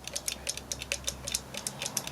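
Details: Osaki time switch clock motor: fast irregular dry ticking and rattling from the small gear train with rough meshing; worn sleeve bearing, bearing material found worn away, needing a replacement bearing.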